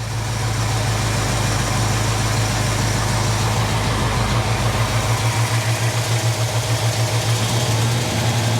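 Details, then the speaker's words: Jeep CJ-7 AMC 304 V8 with Summit 8600 mild performance cam, during service and tuning; deep idle with steady rolling lope pulsing a few times a second, no pinging or clunking, plenty of oil pressure. "that Summit model 8600 mild performance cam they put in this motor, it's pretty sweet. It's got a really nice lope to it."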